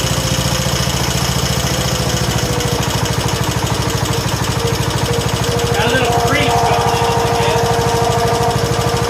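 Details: 1969 John Deere 140 H1 on a new carburetor, running after a cold start and long cranking: a steady, even single-cylinder thump at fast idle with no misses or knocks, quiet and smooth. Normal running.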